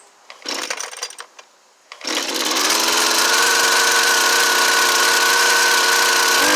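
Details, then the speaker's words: Husqvarna 329L two-stroke trimmer after recoil starter rope repair, started with choke and primer: catches after a couple of pulls into a high buzz that sounds a touch off; carburetor likely needs slight tuning. "yeah all right guys so you can see it needs a little tuning it sounds like but he just wanted the recoil starter fixed i'll let him know i could probably tune that carburetor a little bit"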